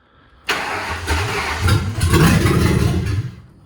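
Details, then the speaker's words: 1955 Ford F1000 rat rod just after an intake replacement, first cold start at 4 degrees outside on a borrowed battery with the fuel pump on: it cranks, fires, stumbles and surges unevenly before picking up, a rough first start with the cause unclear. "Ooh, didn't like that. Come on, baby. Oh, yeah. Oh, it sounds good, baby."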